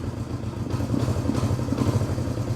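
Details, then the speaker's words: Reassembled 1971 Honda CB350 parallel twin: uneven, lumpy low beat as throttle opens because one carburetor slide lifts before the other, carbs out of sync. "you hear he the engine change that one hasn't moved yet so right off the bat we know that the throttle is not not even"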